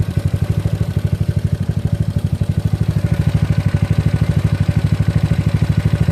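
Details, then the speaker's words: GY6 scooter engine with OKO PWK 30mm carburetor during tuning, mixture screw being adjusted: soft, low putter of about ten beats a second, slightly uneven, quiet but sounding about to die; idle too low. "this one looks like it's quiet but he look like he's about to die"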